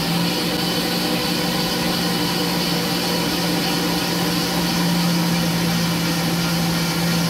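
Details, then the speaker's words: Ford 4.6/5.4/Coyote V8 cranked and started after priming the oil system through the sending-unit port with a pressurized oil canister and refitting the original filter; smooth, even idle with a low hum and no ticks or knocks; oil pressure reads 40. "now we're going to crank it over and see if we get any oil"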